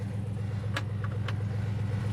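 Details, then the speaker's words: 2005 GMC Yukon Denali, 184,000 miles, bought as a parts truck: fires right up into a deep, smooth, steady V8 idle burble with no knocks or ticks and good oil pressure; normal idle. "Fires right up, just like a champ. It's got good oil pressure. Idle's good."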